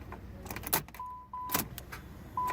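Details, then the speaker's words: Car towed in with no start and no crank after being driven without oil. Warning chime beeps and a single dull starter click sounds at the key, then nothing; the engine never turns over. The cause is not yet confirmed. "Just a click. I hear the starter clicking."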